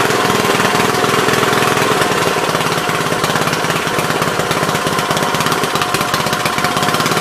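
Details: Troy-Bilt tiller, parked long, now running after a bad spark plug was replaced: loud, steady single-cylinder chatter at an even rate with no misfires or stumbles, engine running normally.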